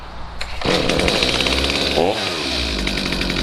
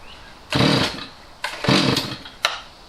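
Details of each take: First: Stihl MS250C chainsaw after replacement with a new out-of-box carburetor, screws unadjusted: fires and settles into a steady two-stroke buzz, revving cleanly through several blips without bogging; normal running after repair. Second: Stihl MS250C chainsaw that sat years with bad fuel; carb cleaned and rebuilt, L and H screws turned out, no change: each throttle blip rises briefly then sags and stumbles; bad carburetor causing bog.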